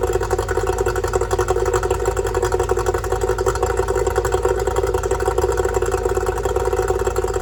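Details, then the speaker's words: Yamaha two-stroke outboard after repairing oil leaking out of the carburetor: even, quick popping at a steady idle with no misses or surges; running cleanly, normal idle. "that looks good sounds good too"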